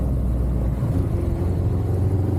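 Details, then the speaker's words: 1983 Suzuki Katana 750 S3, recommissioned after 31 years standing, on its first test ride: a low, uneven rumble under load with a stumbling beat, misfiring; rider suspects it is down to two cylinders before it dies. "Oh dear, that doesn't sound good. Oh, I think we're going to break down. No, don't do this to me. She's misfiring, she's not happy. She's down to 2 cylinders, I think."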